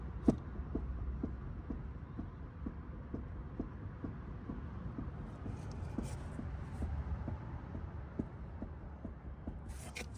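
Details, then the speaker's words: Ford Fiesta jacked up, passenger-side front wheel rocked by hand: sharp, regular knocks about twice a second from excessive play in a worn inner tie rod, which was then replaced. "so you can see right there how much play that's got and it's already making noises so this is why we need to fix this cuz it's connected to your steering"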